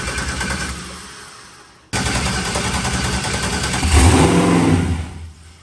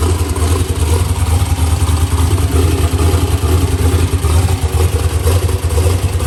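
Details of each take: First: New LS-swapped forced-induction Mustang (TKM V8, Holley intake), freshly started for the first time: uneven stumbling idle, about 214 beats a minute, then blips up; a slight misfire as the fuel map is still being tuned. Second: Ford Mustang with LS swap and new TKM engine, Holley intake, forced induction, first fire-up after build, tune still in progress: loud, deep, lumpy V8 idle at a steady pace, no knock or misfire; normal healthy idle.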